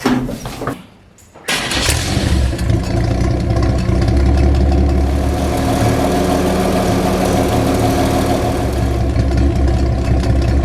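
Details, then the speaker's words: Old, hard-used stock engine in a rat rod, mounted low below the frame, with worn stock carburetor: cranks briefly, catches, settles into a lumpy low idle with uneven beat; no blue smoke, running rich. "No blue smoke there, but she's running rich. And well, this old engine here has had a hard life, and it's stock standard. And that old stock carburetor is quite worn, so no wonder."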